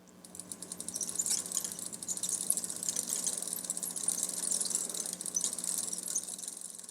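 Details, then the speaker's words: Bicycle before cleaning and lubricating the chain, chain not elongated: faint rapid high-pitched chirping ticks with each link as the cranks turn backwards; very squeaky dry chain. "very squeaky"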